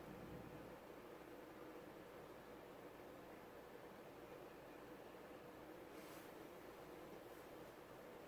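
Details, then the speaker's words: CEC-made 36-inch white and polished brass topmount spinner ceiling fan, filthy when acquired, on its fairly fast medium speed: soft, steady rush of moving air with no rubbing, clicking or bearing growl, and air movement is good. Normal running. "This fan has a pretty fast medium, like most 36-inch fans do. Air movement is still really good."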